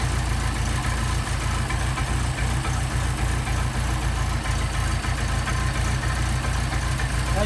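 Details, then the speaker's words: Mercedes 190SL Solex carburettors on a test engine, cold on choke and not yet adjusted, idle mixture screw backed out half a turn: an even, low-pitched idle with a steady pulse and no stumbles or pops; healthy while warming up. "can't really adjust these things until they get warmed up but considering Haven done any adjustments to them at all that's pretty darn impressive"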